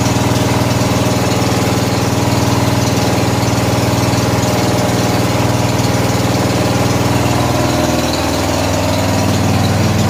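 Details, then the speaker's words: Murray riding mower with 14 HP Briggs & Stratton engine, fuel had flooded into crankcase via faulty carburetor: strong, steady single-cylinder beat with no misses or surging; normal idle, one small backfire likely from gas in exhaust. "good sounds good"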